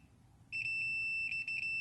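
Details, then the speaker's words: Multimeter diode test on a failed barrier diode of a Digitrax DS64: steady unbroken high continuity beep, reading a dead short; this short was shutting off the power supply. "So what I'll do is, just so you can hear the meter as I test. Here you can see that it's shorted."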